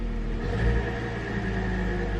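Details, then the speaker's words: 2007 Hyundai Sonata, revved: steady high squeal over the engine rumble, earlier loud rattling and chattering; mechanic removed the belt, found the alternator noisy with burning-wiring smell, replaced alternator and belt, now quiet. "it's squeaking and there's a sound, so definitely something's not right."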